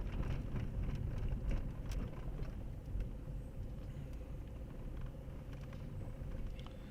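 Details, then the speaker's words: Renault Megane 2 1.5 dCi test drive uphill after steering box and control arms were replaced for a tak-tak noise when turning: even low road rumble, no ticking or knocking; steering and suspension quiet, pulling well. "Evet çekiliş güzel gayet iyi çekiliş alt takımda da ses yok sıkıntı yok başka problemimiz yok"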